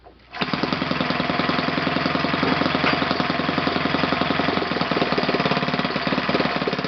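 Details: OS FS 120 PreSurpass four-stroke glow engine, bought used on eBay, test-run on a stand on 16% nitro fuel with a 16x6 prop. It catches at once and holds a fast, even, buzzy beat with no misses or rattles: runs normally.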